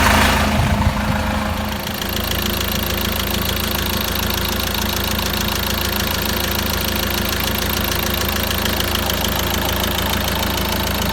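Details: Peugeot Boxer 2.2 turbo diesel, about 426,000 km, cold idle: steady fast knock about four per second over diesel clatter; knocking when cold, cause unconfirmed (suspected weak valvetrain part that can pop out and drop valves).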